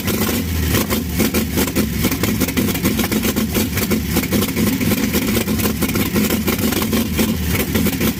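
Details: 1952 Chevy engine at first start, with fresh Autolite plugs and a loose throttle; it runs choppy and lumpy with a light top-end tick. Owner says the carburetor needs work and saw vapor leaking at the original fuel line outlet.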